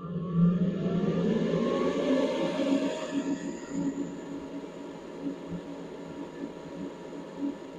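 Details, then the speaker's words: Polaris RZR Pro XP / Turbo R with a newly installed RPM SxS electric clutch fan plugged into a piggyback harness. Airy whir climbs in pitch with a thin whistle, then settles steady. Normal clutch fan whistle as it spins up. "we're gonna keep it on you're gonna hear that fan pick up some speed and do little whistly doodles"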